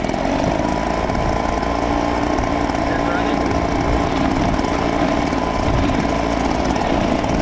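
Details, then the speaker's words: New Husqvarna 130BT, Stihl BR200 or Echo PB-265LN backpack blower on first start after unboxing holds a steady busy two-stroke buzz at even pitch, no surging or misfire; healthy idle. "They'll be pretty quiet. You hear it? They're so cute."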